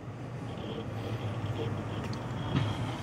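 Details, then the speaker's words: Core 2 Duo desktop PC, upgraded more than six months earlier, case open, idle: a low steady hum with no rattles, ticks or surging. Normal quiet fan noise, far quieter than the old PSU fan. "Тем более, когда корпус закрыт, вообще ничего не слышно. Ну, комфортный шум, естественно, если прислушаться, то можно всё, что угодно услышать, но не сравнить с тем, что было."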